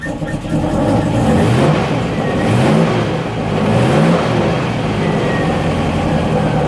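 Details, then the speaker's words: 1972 Range Rover A-suffix V8 during restoration, flooded and hard to start: catches and runs rough and uneven, rising and falling over three quick throttle blips. "so that's why these things can be a pain in the ass to start when they're flooded but at least I know now that he's flooded"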